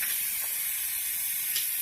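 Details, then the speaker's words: Car's turbo intake system pressurized with air compressor, engine off: steady sharp airy hiss from a leaking vacuum line, causing boost to drop below 5 psi; boost leak at vacuum line, line to be repaired. "that's where my boots leak is coming from that's why I'm not getting 5 psi anymore"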